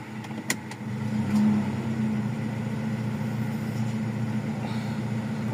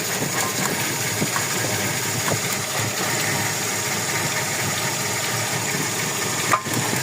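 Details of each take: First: Toyota Revo 1RZ petrol engine after repair of a cylinder 4 misfire (weak spark plug, injector pulse checked) and idle adjusted down from about 1,000 rpm: steady, even, smooth idle with no misses; idle-up still works. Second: Toyota Revo 1RZ engine idling rough and uneven with irregular stumbles and a missing beat about twice a second; misfire traced to number four, whose injector still shows pulse, with spark plugs and compression being checked.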